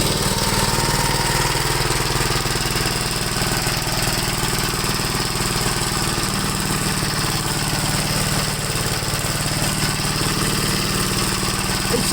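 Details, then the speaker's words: 1969 Gravely LI intermediate-speed tractor, single-cylinder, no governor: uneven, lumpy thumping at about four beats a second once warmed up; runs rough when warm, cause not yet found. "seems like after I warms up I I just really running bad"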